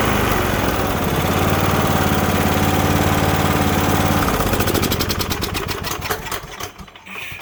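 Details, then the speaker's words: Cub Cadet LTX1045 riding mower, Kohler Courage 20HP, that kept dying off choke; after draining water-contaminated bad fuel, cleaning and new fuel filter: steady even beat holding constant speed off choke, no surging; runs properly. "the thing at this point runs great because we got that bad fuel out of there cleaned everything up did the fuel filter"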